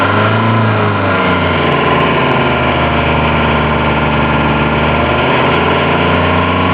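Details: Citroen BX under acceleration: a coarse, raspy hiss rides over the engine note as it loads up but is not like an air leak; it seems to come from the footwell, source undetermined, poor-quality audio.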